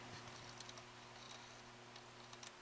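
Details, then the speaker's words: 1961 Fender 5F1 Champ tube guitar amp under restoration: irregular sharp crackles and ticks over a steady mains hum when the power cord is rocked, from arcing in the faulty cord, which is replaced with a 3-prong grounded cord. "So while I've been testing this amp, I've been hearing some arcing, and I've been trying to locate it. I think I just did."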